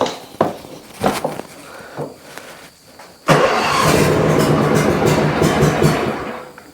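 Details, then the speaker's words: Junkyard John Deere zero-turn mower with Briggs & Stratton V-twin, new battery fitted and oil checked; few clicks, brisk crank, fires at once into a steady, even run; starts cleanly. "oh yeah cranked I like a Hemi"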